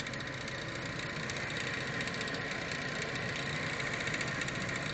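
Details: BMW E46 M3 engine after warm-up at idle: fast, uneven light knock about three to four a second, seemingly from one side of the engine; owner wonders about pulling the intake manifold or something caught or broken inside; cause unconfirmed.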